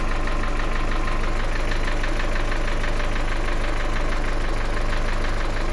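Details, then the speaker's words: Car with customer complaint of strong engine knocking on cold mornings, milder when hot; started partly warm (about 30–40 °C): fast, even light tapping of three to four beats a second remains, likely one hydraulic lifter needs replacing. "Теперь слушаем, как работает. Значит, какой-то стук ещё остался небольшой."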